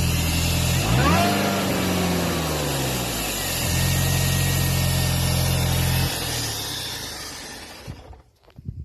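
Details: 2004 Mini Cooper R53 JCW after head gasket and timing chain replacement: cranks and catches, then idles with a pulsing uneven beat about four per second; rough idle.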